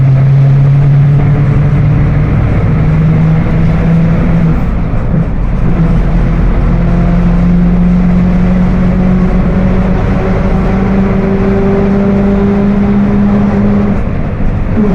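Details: Mercedes-Benz OF 1721 BlueTec 5 diesel bus (Apache Vip IV) driving: steady low hum under the diesel drone, climbing gently with road speed, rear axle differential whining under load.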